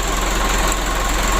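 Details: Mitsubishi 120 PS Ragasa diesel after injection pump repair, nozzle replacement, fuel setting adjustment and oil change for oil diluted with diesel fuel: steady, even low rumble, no misses or knocks; normal idle.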